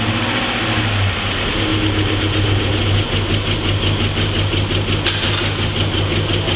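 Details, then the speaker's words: VW Touareg 4.2L V8, just started after cranking to prime oil, bought with timing faults and misfires, bank 1 cam chain adjuster suspected: rough, lumpy, stumbling idle with cylinders 1 and 4 misfiring heavily. "Right now, I'm just swapping some coils from one side to the other, and I'm also going to pull out the spark plugs from cylinder 1 and 4 because they're misfiring pretty heavily."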